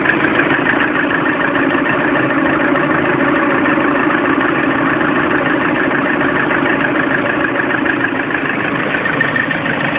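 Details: Lada Priora engine warm at idle, 5000 km, knock first appeared at 400 km: steady light knocking about three beats a second over an even hum; source undetermined.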